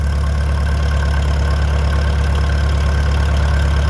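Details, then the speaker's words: Old tractor started cold with choke on a warm late-December day after long cold storage, battery held charge; steady, even low putter about three beats a second, no knocks or misses, idling cleanly while warming up. "That battery's held its charge pretty well despite it being so cold for so long. So, we'll let this thing warm up and just putter away."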